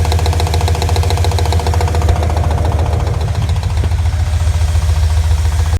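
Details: Mirotekniк RX7 rotary at steady idle with heavy, deep knocking at roughly three to four beats a second; clear mechanical engine knock, source not yet pinned down.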